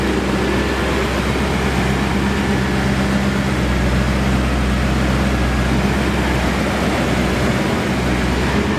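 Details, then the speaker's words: BMW E39 M5 S62B50 V8 at about 171,708 miles, some miles after rod bearing replacement following a spun bearing and damaged crankshaft: deep, smooth, even idle with steady low rumble, no knocks or ticks; runs healthy. "fantastic sounds great makes tons of power ask us how we know"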